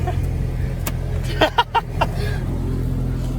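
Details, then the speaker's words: Saab 9-3, no-start cleared after a gauge cluster swap (DIC, plugs, CPS also replaced): steady low engine hum at idle, no misses or knocks, some handling thumps; runs well. "And there'll be another episode on this car and swapping parts over, but it runs, and it runs well. It sounds good."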